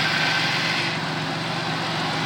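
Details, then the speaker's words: Pontiac Bonneville 3800 V6 after MAF cleaning, radiator flush and oil change; had mimicked a head gasket failure with coolant reaching the plugs and P0171; now a smooth, even idle with no misfire. "seems to be running pretty good now there's no more misfire or anything there's no coolant getting into the plugs"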